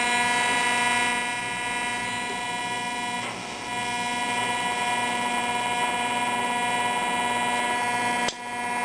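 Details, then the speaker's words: Zenith Trans Oceanic Royal 3000-1 radio after repair and reassembly, dialed in at about 100 kHz: steady buzzing hum with fixed whistle tones, interference from a nearby frequency counter, likely its multiplexed LED display. "now this frequency counter is a source of of noise especially with such pro close proximity to the radio i think most of it has to do with the multiplexing of the dam display but stupid leds"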